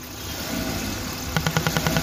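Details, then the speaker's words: Old-model Maruti Suzuki Wagon R, LPG kit removed: steady idle then short bursts of light ticking about ten a second; noise began after LPG removal and is traced to the EVAP canister pipe hanging off, clip missing. "इसका pipe भाई उतरा हुआ है already उसका clip पता नहीं है कहां है क्योंकि इसमें लगा था एलपीजी एलपीजी हटाया तब से साउंड आ रहा है"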